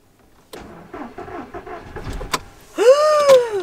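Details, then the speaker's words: VW Golf TSI petrol engine suddenly won't start, small battery drained after a whole day of tries: sluggish, uneven cranking at about two turns a second then a falling whir, no catch; weak battery, to be replaced with a 70 Ah one. "springt nicht mehr an von jetzt auf gleich bei dem letzten Video war das sogar ist er nicht me angesprungen und ich habe eine ganz kleine Batterie drin ich glaub 40 4 Ampere Batterie"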